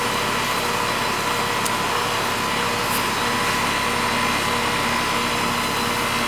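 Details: Old residential AC condenser with an aging compressor, recharged with freon and fitted with a hard-start kit after it would not start: steady fan rush with an even compressor hum, no clicking or stalling. Normal condenser operation.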